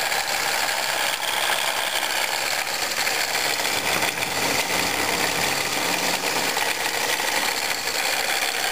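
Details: 1997 Pontiac Grand Prix GTP: dry, fast metallic rattle/grinding from the supercharger area at idle, louder in Drive, gone on acceleration; a worn supercharger coupler, confirmed as the cause.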